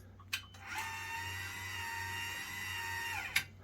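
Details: EcoJoy/RIOSOC battery-powered stair-climbing hand truck (lithium-ion, electromagnetic brake), power switched on: steady high-pitched electric whir of the track motor for about 2.5 seconds, winding down smoothly; normal motor run.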